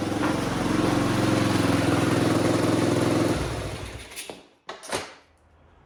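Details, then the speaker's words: 1985 Honda XL250R RFVC single, abandoned for years; compression was very low with intake valves suspected leaking. After oil was put in the cylinder to help compression it starts and runs with a steady, even thump, then eases off; sounds pretty good, no smoke. "all right i put a little bit of oil to help with the compression the sequels start yeah that sounds pretty good um doesn't smoke"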